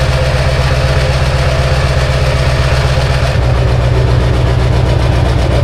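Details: Diesel dually, cold start at 18°F on jump box: rough, heavy, lumpy clatter settling a little after three seconds; only about three glow plugs work, starter failing, batteries flat.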